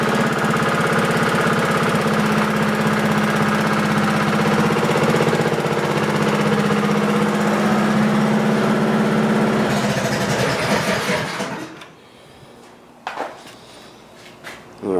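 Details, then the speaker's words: Warm small engine in the BMW racer after chain service, with 8° advanced timing key, 1-inch header and muffler, and venturi with filter: loud, steady, even firing for about eleven seconds with no knocks, misses or rattles. The engine sounds healthy. "right sounds healthy with that muffler that's for sure"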